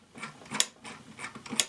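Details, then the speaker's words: Kamco Saturn/Iron Man toy robot from the early 1980s: notched gear on the display-spinning shaft snaps against a small flap, giving sharp dry clicks about once a second over faint gear whir, with pauses; sound-maker works as intended. "So you get this clicking sound. Right there. So there's a little pause in the clicking sound, and then it starts again."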